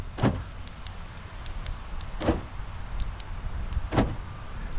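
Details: 2003 Ford Explorer after door-ajar fault from broken wire: three crisp lock clunks about two seconds apart, solid, no buzzing; door lock actuators working normally.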